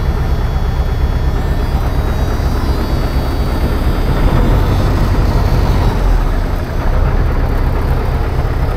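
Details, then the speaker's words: 1980 Peterbilt 359 EXHD with 3408 Caterpillar diesel after fuel system priming: deep heavy rumble holding steady at idle, no misses or knocks; idles smoothly and healthy, air pressure slow to build. "how's it feel to sit in a running 3408 fellas not too shabby"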